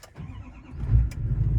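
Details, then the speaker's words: LML Duramax diesel truck cold start in cold wind after sitting 13 hours, with new batteries and a fuel additive, glow plugs cycled; brief crank then fires right up into a steady rumble. The truck normally runs about 20 seconds then dies in cold. "Fires right up. Don't you die. Don't you dare die, you piece of junk."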